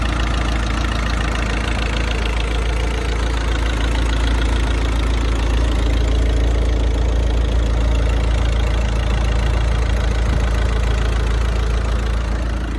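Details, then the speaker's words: 16-year-old VW Passat 2.0 diesel with 320,000 km, at idle: even, deep clatter with no misses or hunting; runs well, no dual-mass flywheel noise, flywheel probably replaced by this mileage. Normal diesel idle. "motorul merge chiar bine. Nu avem zgomot de volant, deci probabil a fost schimbat până la kilometri ăștia."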